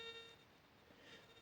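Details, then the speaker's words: Monero Lejyoner pulse induction metal detector, coil held 5 cm above ground at high volume: steady high bee-like buzzing with whistling overtones as threshold never settles; sensitivity too high, turning it back slightly stabilizes. "Bakın bu tresol sesi düzgün gelmiyor ise bir makin bakın arı vızıltısı gibi geliyor bu sesi az bir şey geriye getirdiniz kıstın cihazınız şu an kullanmaya hazır"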